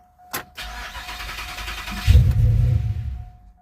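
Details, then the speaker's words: 2007 GXP with a stage 3 cam and VATS/DOD delete via HP Tuners, restarted after a cooling system gasket repair: starter cranks, deep rumble for about a second, then dies; stalls after start. "oh now it's just stalling right [Music] out"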